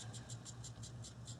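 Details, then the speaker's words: 2010 Subaru Impreza 2.5 non-turbo EJ25, old timing belt idler pulley spun by hand during belt and water pump service: gritty, hissing rasp pulsing about six times a second, worn bearing still rolls but needs replacing. "you can hear that the bearing is starting to go it still rolls perfectly fine but really it needs to be replaced"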